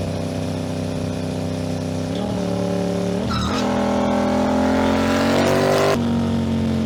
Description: Aprilia RS 660 2021 - 5500km, strange noise on deceleration when I'm hitting 80-90km/h in 4/5/6 gear. Disapear when I'm hitting the throttle.